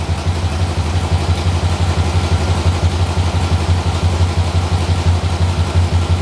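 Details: 6.0L LS-swapped S10 with fuel system clogged by rust from the gas tank: lumpy idle with a regular stumble about three times a second over a low rumble; one cylinder dropping out, a rear cylinder reading about 211 versus about 400 on the others.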